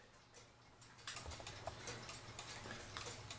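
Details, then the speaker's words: Cuckoo clock after cleaning and oiling, hung level: faint ticking in a limping, uneven rhythm instead of steady tick-tock; out of beat, only ticks right when tipped crooked, fixed by bending the wire behind the pendulum. "Clock's not ticking pretty. Have to tip it clear over here in order to get it to tick right."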